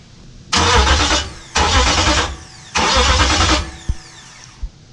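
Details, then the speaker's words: Hemi V8 swapped into a 1998–2003 Durango/Dakota, first crank after starter and SKIM wiring: three short, brisk cranking bursts never firing; engine turns over but gets no fuel, ignition/immobiliser wiring not yet sorted. "I know it turns over um it's not getting fuel"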